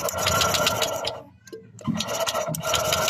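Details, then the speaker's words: Honda Click 125 scooter after valve adjustment: fast, light, even cranking with no firing over repeated tries; intake valve clearance suspected set too tight, causing loss of compression. "video Honda Click 125 nagkaroon ng loss of compression pagkatapos magpa-adjust ng kaniang valvula"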